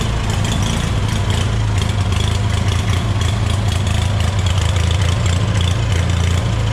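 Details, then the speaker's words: Long-idle scrap-yard Hobart welder generator engine after removing a stray bolt from the fan shroud: even, steady drone, no knocks or rattles; motor runs well, though it needs half choke, suggesting a clogged carburetor main jet. "so we know the motor seems to be running good"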